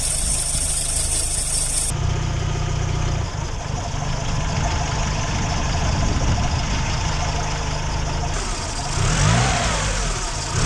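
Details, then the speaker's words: Car idling with its idle air control (IAC) valve disconnected. The idle won't settle; engine speed drifts up and down and surges instead of holding steady, a typical symptom of a faulty IAC valve. "o que las revoluciones estén como locas que suban y bajen sin cesar como sucedió en este otro vehículo que tiene una válvula Jack distinta y al momento de desconectarla funcionó de esta"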